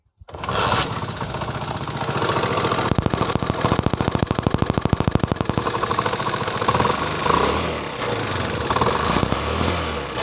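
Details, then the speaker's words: Single-cylinder motorcycle at idle, before repair: a fast, light metallic tick rides over the exhaust beat from loose tappets. The kick is also very hard, and the fix is to set the tappets. "जी तो दोस्तों जैसा कि आपने इसमें देखा कि इसमें एक टिक टिक की आवाज़ आ रही है, इस आवाज़ को भी ख़त्म करना है।"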